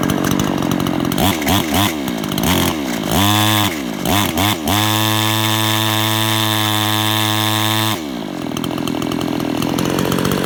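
Small two-stroke revving up and down, holding a buzzing high run with a loose rattle through it; cause not clear.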